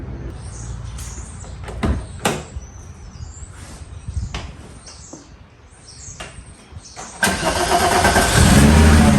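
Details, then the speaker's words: Mk2 VW Jetta with VR6 engine swap: starter whirs briefly, then the engine catches and settles into a steady, even idle with no knocks or misses; normal start and idle. "but this car now runs and just for fun let's start it one more time"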